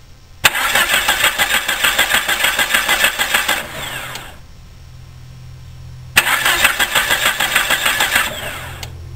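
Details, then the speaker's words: Car that cranks but won't start: injectors receive 12 V and spark present; two bursts of steady starter cranking about three compression beats a second, never catching; cause found as no fuel pressure from the fuel pump. "bien pues ya parece que encontramos la causa de que el vehículo no encienda no hay presión de gasolina"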